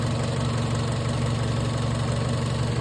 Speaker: This is the wire ground for the ECU. And it ran. Car running.